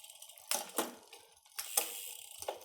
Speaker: you can hear it's slotting into the gears pretty nicely without a ton of noise